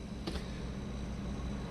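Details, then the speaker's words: Refrigerator/freezer compressor (in a camper) kicks on and keeps running with a steady low hum and faint even drone, no clicking off; normal compressor operation, unlike the fault where it kicks on and right back off. "But as you can see, it's running. So if you have a refrigerator or a freezer, and you cut it on, and you hear your little compressor kick on, and it kicks right back off."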